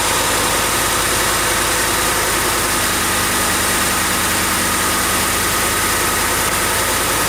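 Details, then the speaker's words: Ford F-150 idling just after first oil change, oil level at top of dipstick crosshatch, filling filter: even steady idle, no knocks, ticks or speed swings; engine sounds healthy. "Does it sound okay? I think it's all right. Let it run for a few minutes there, and then we'll let things settle again."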